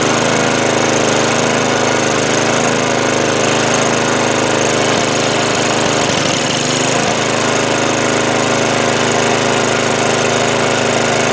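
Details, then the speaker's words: Snow blower small engine after cleaning gummed old fuel from the carburetor bowl, main jet and bowl nut, started on choke at full throttle with primer: loud, steady roar holding even speed without stumbling; runs normally after repair. "baby we're back in business and that's really all there is to it we simply cleaned out the carburetor Bowl in the main jet the bow nut put it back up and she wants to run again"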